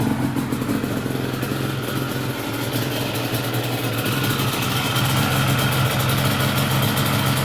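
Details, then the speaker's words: Yamaha Banshee two-stroke twin ATV with chimney exhaust pipes, in its before-restoration condition: crisp, even idle with a steady popping beat through the chimneys and no misses; normal healthy idle. "those chimneys sound great man"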